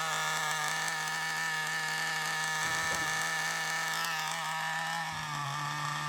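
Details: FTX Carnage nitro RC car, used, after failure: small nitro engine screams at steady high pitch with raspy leaky edge; large exhaust leak at top of manifold, finger over exhaust changes nothing, needs exhaust removed and resealed.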